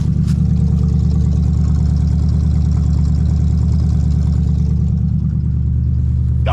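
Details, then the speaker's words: Classic car in freezing weather, not yet up to temperature, freshly broken loose with no other work done: a smooth, even low rumble at a steady idle with no knocks or misses. It is running healthy. "Just listen to his engine sound. I did nothing to it but break it loose."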